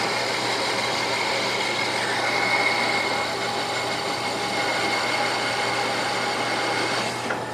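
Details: Manual lathe boring out the worn bearing bore of a bandsaw wheel hub, near a snap ring groove: even, steady cutting hiss with a faint high ring and no chatter. Normal boring cut.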